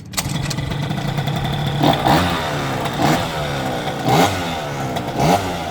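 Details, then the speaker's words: Tuned scooter with a high-rev racing cylinder, new exhaust, inner-rotor ignition, and roller and pilot-jet changes: revs climb, then cut sharply about once a second. It is hitting the rev limiter, later found set to 0, thought to be the lowest level. "It sounds like it's hitting a limiter. Hang on, I'll go get the screwdriver, have a look at the..."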